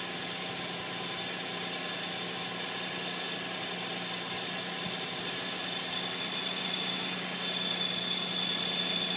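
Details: 2006 Infiniti G35 at cold-start idle: harsh continuous high metallic grind with a thin steady tone, metal-on-metal rub of unknown origin.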